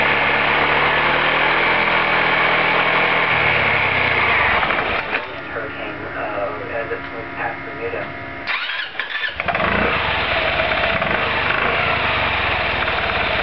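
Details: Roketa MC-54-250B scooter, 1730 miles since July 2008, stalls at every stop. Revs rise then sag under brake load, and the engine nearly dies and coughs back. Cause: intake and exhaust valves had zero gap at TDC; adjusting them fixed it.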